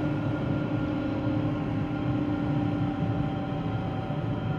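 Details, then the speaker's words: 2013 GMC Terrain, driving: steady roaring with a faint constant whine from the front. Loading and unloading the wheels doesn't change the pitch, so not a wheel bearing. Traced with chassis ears to the transfer case. "I'm driving this vehicle it has a roaring noise I don't know if you can hear it or not and I'm a whining roaring type noise and I can load and unload the wheels and it doesn't change it one bit"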